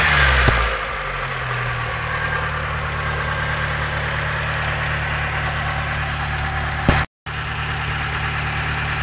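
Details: Mitsubishi 4G13P engine idling with an uneven light ticking, roughly three taps a second, over the hum, suggesting a noisy top end. A valve clearance problem is suspected, not confirmed.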